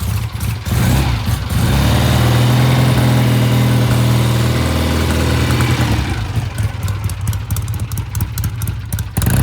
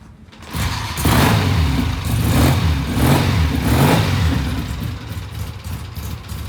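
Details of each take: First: 1967 Triumph twin (green and white), bike ridden past at low speed, chilly Phoenix morning: uneven, stumbling low-speed note breaking up badly before smoothing; clogged pilot jet starving it off idle. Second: 1967 Triumph twin after cleaning the pilot jet: steady idle with three clean, crisp throttle blips returning evenly, no stumble or pop; normal idle and rev.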